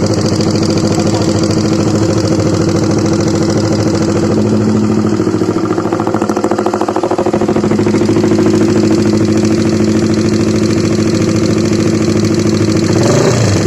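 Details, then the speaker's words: Honda CBR150 idling after the engine ran out of oil, noise persisting despite an oil change: steady clacking about three a second from the middle/top of the engine over a harsh idle; worn camshaft bearing. "Dan masalahnya itu suara mesinnya kasar banget ya. Kita dengarkan dulu nih. Kunci kontak on. Dengarkan ya, ada suara klak di bagian tengah."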